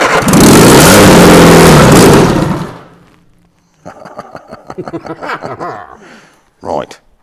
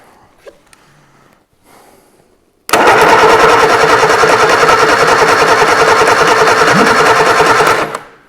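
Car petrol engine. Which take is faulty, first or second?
second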